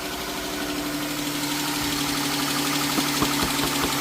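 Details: 3.6L Pentastar V6 at cold idle, first thing in the morning, with a light, fast tick over the hum, suspected on bank one, from a worn rocker arm and cam lobe.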